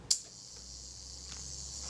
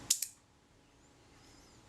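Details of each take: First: Kodak Retina Reflex III shutter after servicing, set to 1/8 s and fired via the self-timer: a click, then an even high buzz as the self-timer runs down smoothly for about four seconds before the shutter opens and closes; normal self-timer run-down. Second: Kodak Retina Reflex III shutter after servicing, gear train and speed train reassembled and self-timer adjusted to slow speeds, fired at 1/8 s: two crisp clicks, open and close, sounding promising but possibly a little quick; shutter speed slightly fast.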